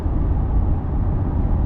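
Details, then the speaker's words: Chevrolet Corvette C8 at cruise: steady low road rumble with a soft, even hiss from the front tires, no drone or rhythm. It is judged ordinary tire noise for this car, not wind noise. "It see it it seems like tire noise to me. It's just like this kind of like hissing and kind of, you know, just it's not really a drone from the tires."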